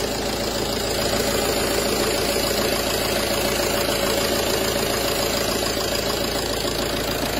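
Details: Peugeot Partner 2.0 HDi 90 after replacing the failed accessory belt tensioner pulley that caused a grinding squeal: a steady, even diesel clatter at idle with no squeal or chirp from the belt area, sounding healthy.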